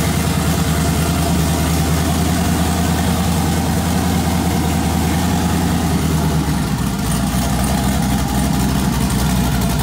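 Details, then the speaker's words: Twin-turbo LS V8 swapped into a Camaro, first startup after the build: deep, even idle with a steady lope and a faint airy turbo hiss on top; runs healthy. "so go ahead and fire that thing up dude it sounds so good"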